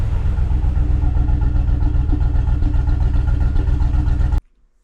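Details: 2015 Ford F-350 Super Duty 6.2 V8 at idle: heavy, lumpy rumble with an uneven thump about four times a second from a bad misfire that began suddenly while driving, not towing; one dead cylinder, found on teardown to be a broken exhaust valve spring.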